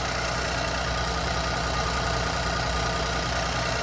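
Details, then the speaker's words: 2020 Infiniti Q50 3.0 twin-turbo at Copart: steady even idle, smooth low hum, no knocks, misses or shake; engine sounds healthy. "So yeah, but yeah, the engine's not shaking and it sounds good. It doesn't sound bad or something."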